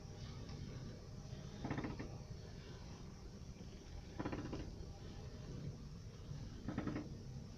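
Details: Honda Civic 4D, steering wheel turned at standstill: short rubbery squeaks near the steering rack, heard outside and in the footwell; cause turned out to be the rack-to-subframe bushing, not the rack itself.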